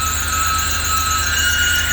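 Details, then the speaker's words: 2006 Range Rover Sport Supercharged V8 at idle: constant piercing high squeal steady in pitch over a smooth idle; slipping drive belt needing replacement. "Hear that belt? That's a belt sweep. That's a belt sweep. I know."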